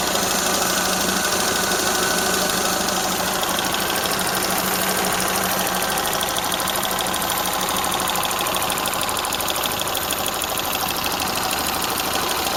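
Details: Toyota Corolla Ceros, 4A-FE engine, C50 manual gearbox, idling: fast, even light ticking about three per second over a bright hiss; owner unsure if valve or gearbox shafts; slight exhaust corrugated-pipe leak also present.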